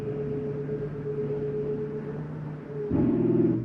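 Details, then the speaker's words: 2024 Flagstaff Superlite 26FKBS, slide-out recorded from inside, button held: steady motor hum turns abruptly to a louder buzzing rattle as the clutch override slips at full travel; normal end-stop behaviour, not grinding. "Some people are confused and think it's something grinding. Nope, it's just an override that shows that it's all the way out."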